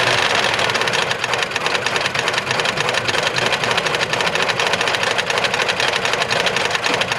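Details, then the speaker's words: 2022 Ford F-150 5.0L V8 with Whipple supercharger, at idle: rapid, hard metallic rapping; no oil pressure though oil present, check engine light on; internal failure, suspected hole in block or failed oil pump. "I don't think there's any reason to check codes the check engine light is on but obviously it's an engine internal problem"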